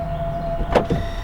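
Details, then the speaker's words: 2026 Toyota Camry shifted back into park; brief whirring gear-motor burst from the rear under a second as the automatic electric parking brake engages normally. "That gear noise was the electric parking brake engaging it."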